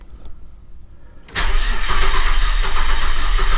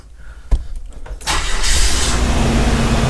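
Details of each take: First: 2002 Nissan Xterra after a breakdown, fuel pump confirmed getting power, timing not yet set: cranks and catches roughly for about five seconds, stumbling and uneven, then dies; rotor found not at cylinder one at TDC, distributor 180 degrees out. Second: 2002 Nissan Xterra off-road camper build after a breakdown, fuel pressure only about 10 psi (30–40 needed), restarted after fuel-system repair: under a second of cranking, then catches into a steady, even idle; clean start.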